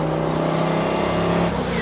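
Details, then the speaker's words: 1971 Datsun 240Z (Rotsun) turbo car, on the road: hard pull under boost, then throttle lifts and the blow-off valve vents with a quick rushing hiss; turbo makes boost but fuel pressure does not rise with it, risking lean running. "So what I noticed is that the turbo's making boost, which we know because we can hear the blow-off valve, but then the fuel pressure is not increasing with the boost."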